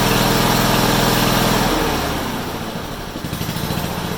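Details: Honda HRU196 mower after carburetor cleaning, reassembly and a fix for a long-standing fuel restriction: revs hard and smooth, then settles to a steady, even beat of about three pulses a second; sounds healthy, better than in a long time.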